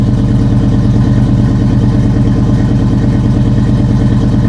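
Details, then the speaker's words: GM V8 just jump-started from a dead 7.9 V battery, with the original intake: deep, even idle with a steady low beat and no knocks or ticks; normal idle. "Okay, this sounds nice."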